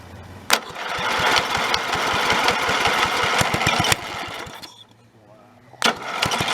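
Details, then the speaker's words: Snapper 30083 mower abandoned 20–25 years, after swapping in a junkyard magneto: single-cylinder engine catches and pops at a steady beat, revs briefly then recovers; first run in decades. "so again that's probably the first time in 20 to 25 years since that thing's run destroyer now"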